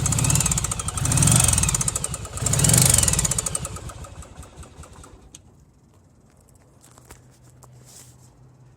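The V-twin blips twice with a rapid tapping knock under the exhaust, then settles back to quiet; the knock has no obvious source yet.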